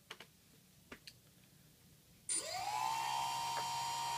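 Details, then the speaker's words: 2200 kV brushless motor on 3S with Pixhawk: a quick rough grind on spin-up from desync, then a clean whine settling at speed; better with the ESC's 5 V BEC line connected but not perfect. "no it's better but it's not perfect you can still hear a bit of a grind before it picks up so that's the you can kind of hear the little quick little grind before it picks up speed"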